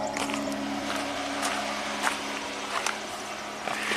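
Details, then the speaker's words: 2019 Jeep Cherokee V6, 115,000 mi, P0305 cylinder 5 misfire at idle, recorded at exhaust pipe: uneven beat with irregular puffs and stumbles, cyclical every few firing events; six new injectors didn't fix it. "It's kind of cyclical. It's not every engine revolution. It's definitely very rough."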